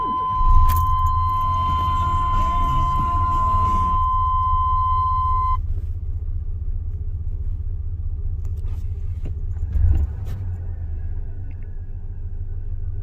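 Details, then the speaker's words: Chevy S10 minitruck whose sale ad said the motor was loud or needed a rebuild; no seepage found on the block. Low, uneven, unsteady idle that runs a bit better with a little gas. Owner suspects the plugs and plug wires, service age unknown. "little bit of gas makes it run a little better, but it's got a rough idle there. Again, who knows when plug wires or plugs was ever done on this thing, so that's what we're going to do first."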